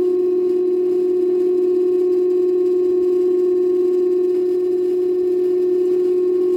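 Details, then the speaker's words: Daewoo direct-drive inverter washer-dryer (9 kg wash/7 kg dry) during spin as RPM rises: loud, unwavering siren-like whine at one fixed pitch; not bearings, caused by damaged Hall sensor on the stator, fixed by replacing it. "this is very bad noise actually customer is correct he is telling we cannot stay at home we got this much noise"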